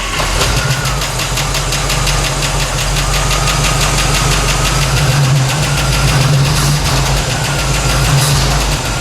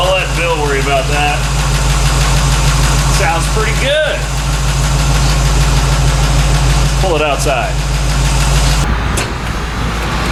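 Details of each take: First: 1964 Chevy C10 with a tired 350 small-block V8, after installing new true dual exhaust on ram's horn manifolds: a lumpy V8 idle with a fast, sharp ticking at about 3–4 per second. The fuel pump is loud. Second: 1964 Chevy C10 with a somewhat tired small-block 350, Rams Horn manifolds and new true dual exhaust with Thrush mufflers; deep, even V8 idle burble, fuel pump now noticeably loud; normal idle.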